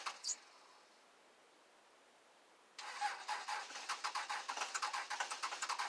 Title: 2001 dodge cummins cold start 25°F no start in 2 weeks no plug in